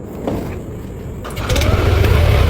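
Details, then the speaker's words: Yamaha NMAX new scooter on its original battery with spark plug refitted: strong starter whir for over a second before the engine fires and rises to a steady run; starter doesn't engage immediately, cause unconfirmed. "Starternya kuat ya, kuat muter, tapi nggak langsung nyangkut gitu ya."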